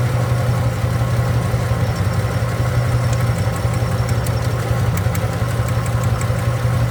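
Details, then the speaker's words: 1967 Chevrolet Impala, hot, at idle: an uneven, loping idle with an irregular pat-pat thump over a steady rumble and visible shaking. One cylinder is misfiring; the pulled plug was found oil-fouled, and timing was also in question. "pata pata pata pata pata vuruyor yani rölantideki Sesi bile çok rahatsız edici"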